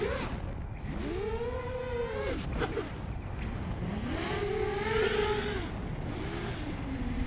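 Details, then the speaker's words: Scratchbuilt quad, Hyperlite 2206.5 1922KV motors, Newbeedrone Infinity 200 FC/ESC, 4S: propeller whine cuts out briefly at mid throttle then recovers; sounds like motor desync but owner suspects gyro jitter from the board. "oh no no it just happened at like mid throttle it sounds like a motor dc but i'm pretty sure it's the gyro jitter so pretty sure it's the the board actually not that feature"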